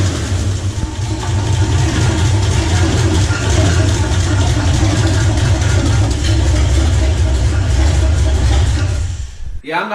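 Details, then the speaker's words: 1977 Jeep CJ7, barely run in four years, started with fuel leaking; rough loud idle with irregular heavy clunks and earlier grinding, owner suspects toward the rear, maybe flywheel: engine clunking noise, cause unclear. "not going to run that for long there's something definitely clunking around in there um and it's leaking a lot of fuel but it started so that's kind of cool"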